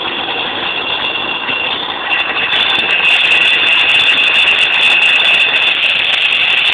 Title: '98 speedster rattling noise